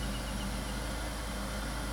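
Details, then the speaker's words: 2000–2007 Ford Taurus or Mercury Sable right after fuel filter replacement, with fuel primed by turning the key four or five times: it starts right up and holds a short, steady, even idle with no misses; normal idle. "I primed it and it started right up so it seems like it's running pretty good"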